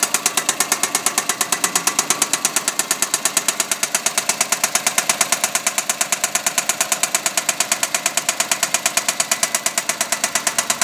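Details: Engine run about 16,000 km without an oil change; sharp, heavy metallic knocks at about two per second hammer over the running engine, bottom-end damage from oil starvation.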